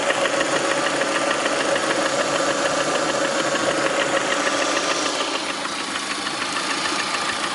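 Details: Lada Priora with 21126 engine idling: quick, fairly even tapping about three knocks a second over a steady mid-pitched hum; knock at idle, cause unclear.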